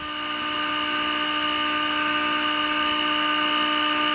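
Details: Vintage tube radio experiment, weak signal with 30% modulation, output via speaker voice coil, AVC not used: a clean, steady tone with even overtones over light hiss; normal operation with test tone.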